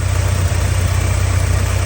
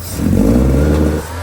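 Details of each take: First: 1984 Porsche 944 that breaks up and won't rev above 2,500–3,000 rpm despite new fuel lines and a leak-free smoke test: starts and idles with a steady, even low rumble, no misses or knocks; the idle itself is normal. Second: 1984 Porsche 944 that idles perfectly but won't rev past about 2,500–3,000 rpm despite a leak-free smoke test, new fuel lines and a sealed tank: throttle blip stumbles and breaks up, then drops back to idle. The cause has not been found.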